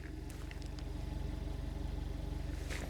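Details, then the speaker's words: Skoda Octavia Mk2 running after hitting a rock and denting the exhaust, leak check: even low rumble, steady pulses about three a second, no ticking or puffing; exhaust sealed and healthy. "I think that's absolutely fine."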